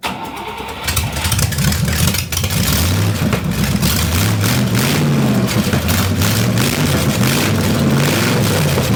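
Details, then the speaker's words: Buick Nailhead V8 vintage rail dragster after carburettor change, front two barrels only: fires after a brief crank, then a loud, lumpy but steady idle through open headers; running properly. "see if she'll idle [Music] now oh yeah she'll idle she'll start you need these [Music]"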